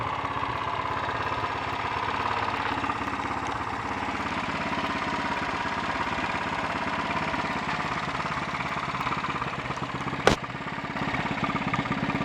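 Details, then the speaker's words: Honda XL 350 single-cylinder motorcycle on a test ride after a blown head gasket repair, still bogging down under acceleration; uneven, stumbling beat with occasional skips and pops, misfire of unclear cause, points and carburettor float bowl to be checked. "that was anything but enjoyable on both the misfiring and the handling fronts, but it confirms one thing: it's time to break out the spanners and have a look and see if I can get to the bottom of this."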